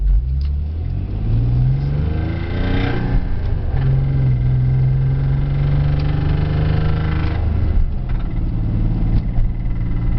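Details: Twin-turbo G35 engine revs up and settles, with a loud knocking from inside the engine.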